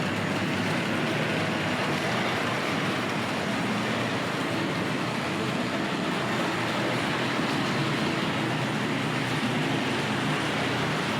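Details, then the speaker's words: Tri-ang RS.2 set, R.258 Princess Royal loco on Series 3 track, power turned up: even, steady running rattle with no dropouts or stutters, running smoothly without stalling, an improvement. "yeah that's an improvement isn't it i'm not sure how well you can hear me while she's running but we'll stick with it"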